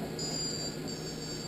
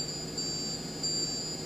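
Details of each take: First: Multicopter ESC just reflashed with new firmware, receiver plugged in: two thin high beeps then a longer high tone, differing from before; normal ESC startup tones. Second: Multicopter ESC flashed with new firmware on a test station, with no receiver plugged in: repeated high-pitched electronic warning tones without throttle input, continuing until a receiver signal is detected.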